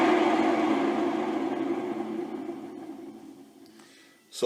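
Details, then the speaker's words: Phase converter motors before bearing replacement, recorded as a baseline: steady droning howl fading as the motor coasts down, from worn motor bearings. "because right now these motors just howl"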